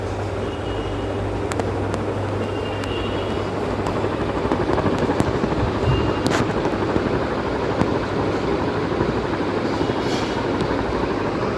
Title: Humming noise Vision Super fan. 🔊🔊 (Sorry for not cleaning this fan🥲🥲)